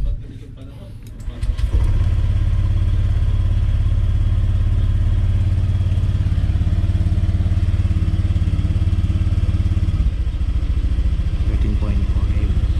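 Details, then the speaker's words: Honda Click 125i started on a newly fitted LiFePO4 battery reading 13.3 V; quick crank, catches at once and settles into a smooth, even, steady idle with no misfire; normal idle. "Then start natin. Uy, okay ah."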